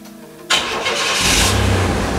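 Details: 1994 Chevrolet S10 Blazer 4.3L V6 started right after new spark plug wires were fitted: half a second of quiet, then it catches at once and settles into a steady, even run. Clean, healthy start.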